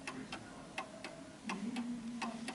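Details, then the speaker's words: German Napoleon hat mantel clock with Westminster chime, on an uneven surface while the pendulum crutch is adjusted; ticks come in uneven pairs, tick longer than tock: clock out of beat. "now this sound sound you can hear it's uneven The Tick is longer than the Tock"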